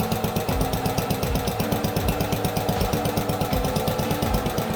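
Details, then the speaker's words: Allis Chalmers B-10 tractor's first start in years after teardown and rewiring. Idle raised while the cold engine warms before carburetor mixture tuning. Single-cylinder thump at about three beats a second, slightly uneven and hunting in pitch. "Just need to let the engine warm up."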